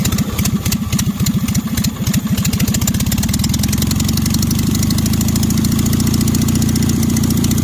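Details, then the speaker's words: 1965 Cushman Truckster with an 18 HP OMC engine, after a cylinder jug swap, new spark plugs and carburetor tuning: a choked cold start catches with uneven pops for two seconds, then settles into a steady, even single-cylinder putter; it runs well. "So it is running, and I would say this thing is running pretty darn good."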